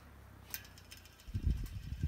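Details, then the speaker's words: Fan coasting down: a sharp click and a few soft clunks as the motor's centrifugal switch drops back closed. Normal spin-down. "this fan you hear those centrifugal switch is closing in that motor"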